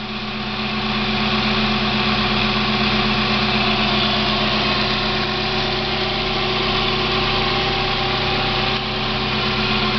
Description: My 1990 Mazda Miata makes a weird noise when the car is at idle. The sound goes away once the clutch pedal is pushed in.